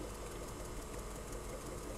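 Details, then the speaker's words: 1981 Technics M218 cassette deck sitting idle, no tape inserted, possibly original belts: quiet rapid even ticking like a distant sewing machine or typewriter from the spinning capstan; always made this sound, normal. "it always made this kind of typewriter sewing machine sound in the background of it just sitting here idly"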